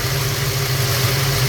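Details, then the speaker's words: Ford Falcon with 302 small-block V8 carburetor idle mixture screws turned a quarter turn on each side, rpm rising and engine much happier; smooth, even idle with steady low hum and no misses or hunting, running cleanly. "quarter of a turn I can hear that engine pick up a little bit already so let's go to the secondary quarter a turn RPM's Rising engine's much happier"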